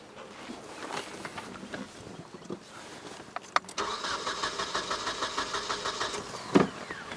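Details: 1996 Nissan 2.4L, cranking during coil-control test-light check: starter cranks in quick even pulses for a few seconds and never catches; no control signal on the coil wire, so no spark.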